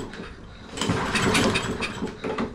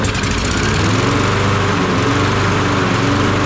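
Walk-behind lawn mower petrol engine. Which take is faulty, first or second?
first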